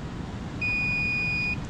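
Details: Two-stage scroll gas pack, meter on continuity across the red-wire pressure switch leads: quiet hum, then one steady high-pitched beep about a second long; the switch is closed.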